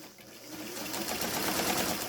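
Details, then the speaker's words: Mid-1970s Daewoo Dress household sewing machine, bobbin winder with a replaced part, running on its original white motor with a new speed controller; steady, even whir with no knocking or slipping as the winder moves back and forth, working normally. "왔다 갔다 하면서 북실 감기 장치 작동하는 거 보이시죠?"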